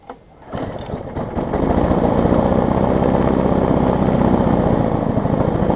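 Small single-cylinder mower catches after a brief pull, then settles into a steady, even, quick putter with no misses; runs healthy.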